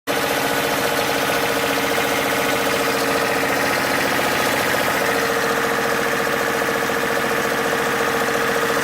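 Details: Toyota 4A-FE engine held at raised revs: fast uneven knocking over mid-pitched drone; owner cannot identify the knock's source.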